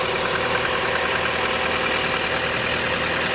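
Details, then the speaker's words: 2011 Chevy Cruze warming up after PCV oil separator membrane replaced in valve cover: steady, even idle with a quick regular pulse, no whistle or squeal that it made before the fix; normal idle. "There you go. That's smooth engine running right there."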